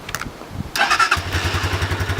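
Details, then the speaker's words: Stels Delta 200 motorcycle, carburettor factory-set, semi-synthetic oil: a couple of kicks, then it catches at once and settles into a quick, even idle of about ten beats a second; starts easily cold or hot, healthy. "из-за войн с toys она легко заводится и на холодный на горячую"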